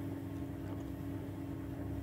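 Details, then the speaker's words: 15-year-old White Knight 37AW tumble dryer after repair of a grinding noise with worn parts replaced, running over half an hour: steady, even low hum, no grinding, rumble or knocking, much better than before; normal drum rotation. "um so it's running it's been on now for over half an hour and sounds a lot better"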